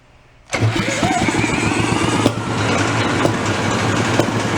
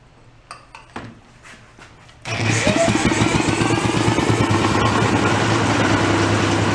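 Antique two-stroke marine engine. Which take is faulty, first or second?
first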